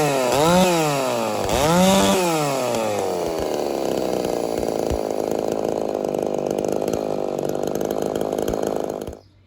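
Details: Ported Homelite Super XL-130 chainsaw, final test run after adjustments for a loose idle screw that turned by itself: two sharp throttle blips, then a steady high-pitched scream under load without hunting or stumbling; normal running.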